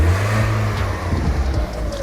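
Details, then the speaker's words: Car with flat battery started using a 70mai PS07 portable jump starter: engine catches and runs with a low steady drone and a light rev, sounding healthy. Normal running after jump start. "Okey akhirnya dah hidup dah. So kita cabut balik eh. So kita dah berjaya hidupkan pakai power bank 70 m ni."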